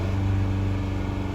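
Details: 2018 Fiat 500 run on diesel by mistake, fuel pump replaced; engine held near 2500 rpm drones with uneven stumbles, a persistent misfire; spark plugs badly damaged and their debris damaged valves, leaving no compression.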